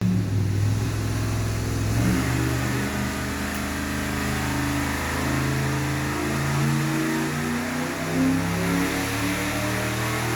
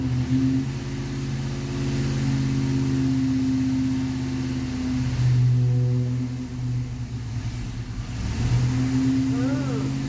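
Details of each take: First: Stock Ford 460 V8 on a dyno after the undersized 750 carburetor was changed. Deep roar climbing evenly through a long full-throttle pull with no misses, pops or knocks. Strong, clean run. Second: Stock Ford 460 V8 on a dyno with a 750 carburetor, judged too small for the engine. It revs under load, but the pull wavers and sags instead of building cleanly, and it won't take load. Running lean from the undersized carburetor; an exhaust leak is also noted.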